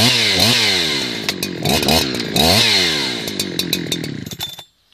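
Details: Husqvarna 365 chainsaw with an 18-inch bar, started and revved through several sharp throttle blips that come back down cleanly and crisply each time; a healthy-running saw.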